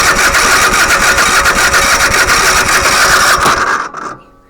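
Starter churns the engine in a steady rhythm of about three to four turns a second, never catches, then stops: cranks without starting.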